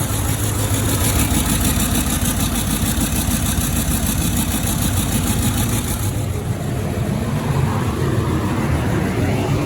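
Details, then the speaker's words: 2007 Range Rover 3.6 TDV8 turbo diesel, warming up after fitting reconditioned turbochargers, exhaust not yet reconnected: steady, even idle with no knocking and a faint high turbo whistle through the open exhaust; engine healthy. "also I don't have the exhaust reconnected yet so that's why you can hear the whistling from turbochargers"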